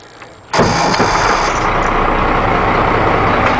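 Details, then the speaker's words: 1991 Ford F800 auger boom truck, rebuilt Ford six-cylinder diesel with 200,000 miles: catches instantly with no long crank and settles straight into a steady diesel clatter, a clean, healthy start. "Starts right up. It's been sitting for a week and I started it to drive where I am. Started right up. No problem."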